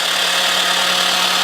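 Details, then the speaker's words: Honda CX500 engine just freed from being stuck, oil added to cylinders, cranked on jump box: steady high starter whirr, engine spins evenly with no binding or clunks; turns over freely. "Engine turns over, fan, everything works. That's my starter making some noise, but that's good."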